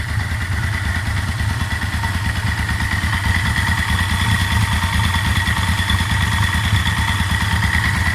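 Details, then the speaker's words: Yamaha Vmax fully warmed up at idle with an oil pressure gauge fitted, camera moving to locate the noise, mainly on one side; rough, uneven ticking-knock over the engine beat, appearing as oil warms, source unclear: engine knock when warm. "Okay, he's all warmed up now. I think the oil's up to temperature. It's feeling a bit hotter now. I'll move the camera around so you can hear where the noise is coming"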